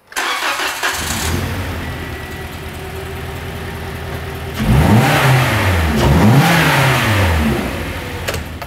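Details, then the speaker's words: EM-141S-TY01 engine mechanical diagnosis trainer, injectors reconnected, starts and idles unevenly, then rises and falls through throttle blips with an uneven beat; runs rough from a built-in mechanical fault, to be found by compression test. "what are we gonna do with this bench we've heard that it's probably got mechanical problems"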